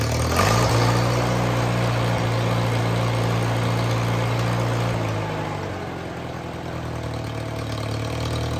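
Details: IH Farmall Super A, started on a little choke after fixing a missing part that left the carburetor with no suction: steady low drone with an even beat, dipping in pitch midway then settling; normal, even idle.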